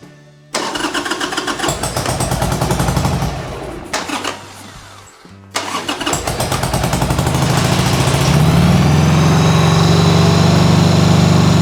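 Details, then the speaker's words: 1995 Harley-Davidson Sportster flat tracker project: catches after a couple of tries and settles into an even, fast two-cylinder beat on partial choke; both cylinders firing, high idle, carb clean still needed. "let it warm up so a little bit of the choke in so it sounds like it's a high idle right now but needs a carb clean next but both are running so we are good there"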